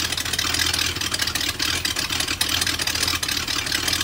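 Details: BMW M62TU V8 (E39 540i/E38 740i) right after chain guide replacement: started in time, then the timing chain jumped while running; ragged, uneven idle with loud hissy exhaust chuffing from missing SAI pipes.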